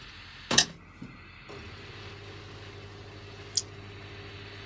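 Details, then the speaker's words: Large washing machine on quick spin after clearing the blocked drain pump: a couple of clicks, then a faint steady low hum with no rattle; quiet, normal spin after repair. "And as you can hear, nice and quiet. I'll just let it run for a bit."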